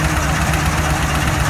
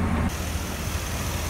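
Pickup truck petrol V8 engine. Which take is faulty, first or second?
first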